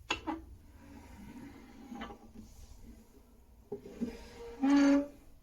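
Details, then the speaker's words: Log burner (wood stove) door: metal clunks, then a short loud high squeak from the dry hinge before it is sprayed with WD40; squeaky door hinge. "what I do want to do and I've bought some WD40 back is I've got a squeaky hinge listen to"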